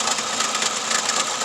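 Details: 2004 Toyota Camry: idle has uneven, hissy stumble with skipping beat instead of a smooth pulse; misfire found by unplugging coils one at a time, weak ignition coil dropping a cylinder.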